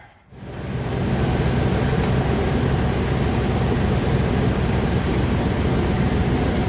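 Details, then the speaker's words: Dodge Ram 1500 3.6L V6 at idle after a new spark plug was fitted to cure a misfire: steady, even rumble with no stumbles or skipped beats; all cylinders firing cleanly. "There it goes. It's firing. So that's pretty much all I do to look for a misfire."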